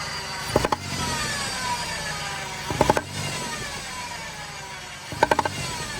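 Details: Ford 3.5 EcoBoost van revved after idling fine, giving sharp pops into the intake. It began 5–6 hours of driving after new injectors were fitted for a misfire; the scan flagged cylinder 2, and a leaking injector seal or gasket is suspected.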